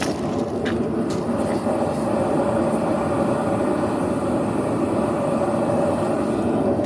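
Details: Vevor two-burner propane forge during forge welding, chokes open: steady, even breathy roar with no sputter or pulsing; burners running normally before the chokes are closed.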